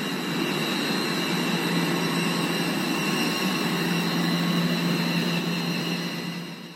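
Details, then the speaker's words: Blower fan with loose V-belt: thin steady high squeal over the airy rumble; belt slipping from insufficient tension, visibly under-tensioned; both belts should be replaced together. "좀 벨트가 미끄러지는 소리가 좀 들리죠 복은 소리 예 별 좀 미끄러진 소리 좀 들리 그죠 눈으로 봐도 이제 정력이 많이 부족한 상태음"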